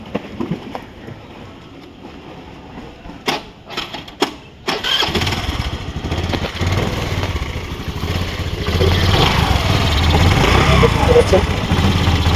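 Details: Honda Grazia 125 BS4 scooter started after its worn pulley was replaced to cure an engine noise: a few clicks, then it settles into an even, steady idle with no knocks or rattles; normal idle.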